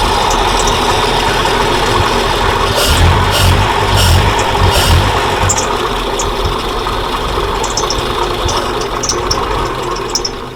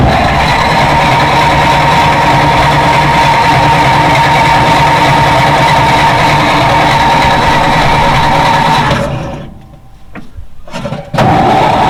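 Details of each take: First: 1940s Dodge military-turned-fire truck revived after about 30 years, running with fuel fed to the float bowl, oil pressure about 20–30 psi: steady, even idle with no misses or knocks. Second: 1940s Dodge army truck converted to fire truck, sat about 30 years: even starter cranking about four turns per second for nine seconds, never fires; oil pressure building but no spark.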